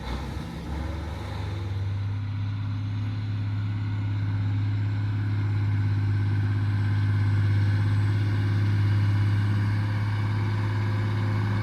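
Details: Mack Superliner diesel, back together after engine repair: deep, steady drone with an even beat of about 3.5 per second, no knocks or misses. Running healthy. It formerly blew white smoke (fuel pump suspected), now black smoke.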